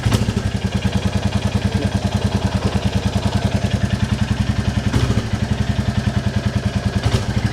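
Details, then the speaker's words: 2022 Royal Enfield Classic 350 single after valve clearance adjustment: an even, steady thump at slow idle, about two hundred beats a minute, with no ticking or clatter on top; normal idle. "oh that's lovely I love it"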